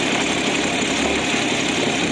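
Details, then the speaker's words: 1965 Mustang coupe, six-cylinder, manual, briefly warmed. Fast idle from the weak choke drops after a throttle blip to a steady, even idle with a smooth hum and no knocks or misses. Normal idle. "But if I give it a bit of throttle, now it's been running for a few moments. There we are. Instantly we can hear it dies down to normal idling levels."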